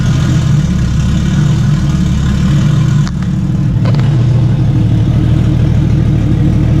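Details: Stock Toyota 1JZ six swapped into a Fox Body, first test fire after minor harness changes and new intercooler piping: smooth, even idle with a deep steady hum and one brief blip; it starts and runs cleanly.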